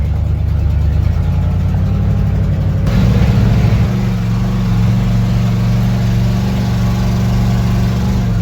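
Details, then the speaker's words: 1977 GMC Sierra 35 one-ton dually V8, sat 20 years, fresh battery cables: restarts instantly and settles into a deep, steady, even idle with no misses or knocks, running healthy. "You just gotta listen to how this thing restarts. You wouldn't even know that it's been sitting for 20 years. Fresh battery cables and the thing's just a peach."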